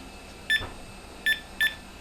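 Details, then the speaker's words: IBM PS/1 motherboard thought dead, with the keyboard plugged in and its lights on: three short, sharp beeps when the delete key is pressed. The board is alive. "I was also pressing the delete key just to see if I could make it beep. And what do you know? It beeped. So maybe it isn't so dead after all."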